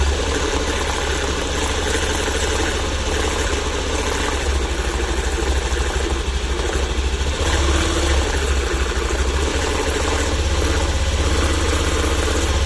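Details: Honda Activa scooter idling with a steady low throb and an uneven rattle of about three beats a second; abnormal clutch-area noise, owner unsure of the cause.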